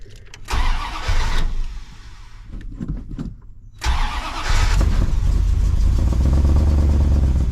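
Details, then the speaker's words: 1984 Dodge W150 V8 with exhaust hooked up, after finishing work: brief cranking, fires right up into a deep, steady even rumble, no knocks or ticks; normal running. "tell you what Ben wanted to fire it up and show you guys what it sounds like with the exhaust hooked up so let's do it fires right up"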